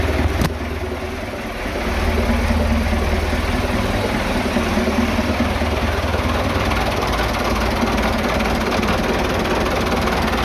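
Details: Vintage "77" diesel tractor that sat two days and wouldn't start because its tank was empty. After refuelling it fires right up into an even, steady idle clatter with no misses or knocks.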